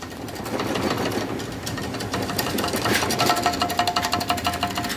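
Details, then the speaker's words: Removed left shock absorber from a Fiat Doblo 3 1.6 diesel, shaken by hand: loose metallic clacks about three a second as its internals have come apart; caused thumping from left side even on smooth road. "Vay be bir amatör bu kadar ses yapar mı ya"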